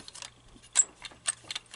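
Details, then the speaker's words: Seized 1930s Little Mother toy sewing machine, hand-cranked before cleaning and repair: sharp high-pitched squeaks and dry clicks about twice a second from the frozen, stiff mechanism, which will not sew in this state. "you hear the squeak it's all it's all frozed and if it stays like that it won't never sew"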